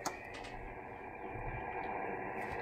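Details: 20 m band receiver with a 13 m vertical antenna: a steady rough hiss and buzz from a neighbour's rooftop solar panel inverter covers the band before the QRM Eliminator X-phase cancels it, which it does.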